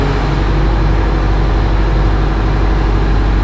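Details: Oshkosh M1070 HET 8x8 diesel after the fix restoring D-deck power (a solenoid had been cutting off the fuel): deep, steady rumble with an even beat and no knocks or misses; a healthy idle with good oil pressure and no leaks.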